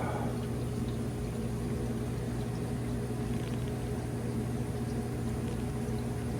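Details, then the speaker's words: Hoshizaki 150 undercounter ice machine: steady trickle filling the sump over a low even hum, not dumping down the drain; normal sump fill before freeze cycle. "Now we're filling with water again, you can hear it. And we're not dumping down the drain."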